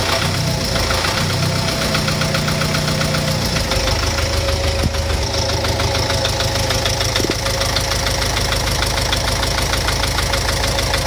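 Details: Engine knock at idle: a sharp, regular knock about three times per second over a rough idle, holding steady; a clear internal knock, cause undetermined.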